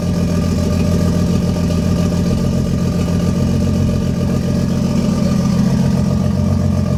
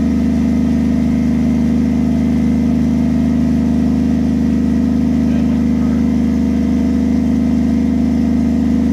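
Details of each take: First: 1JZ-swapped Lexus IS300 first start after wiring harness work: steady six-cylinder idle with uneven, stumbling beat, a cylinder dropping out; misfire from a failed coil pack, later replaced. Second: Toyota 1JZ-swapped Lexus IS300, restart after replacing a failed coil pack; smooth steady six-cylinder idle, even low drone, no misfire stumble; normal idle after repair.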